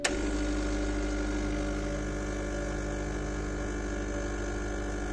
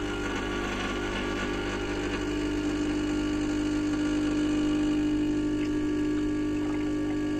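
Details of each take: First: 2010 Gaggia Classic espresso pump, pushing against a portafilter pressure gauge while not fully warmed up: steady buzzing hum holding pitch, reaching about 15 bar despite an apparent leak; pump running at high pressure. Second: 2010 Gaggia Classic espresso pump running against a pressure gauge (portafilter without basket): steady buzzing hum dipping slightly as the over-pressure valve opens, bypassing water back to the tank and holding about 9.5 bar; normal.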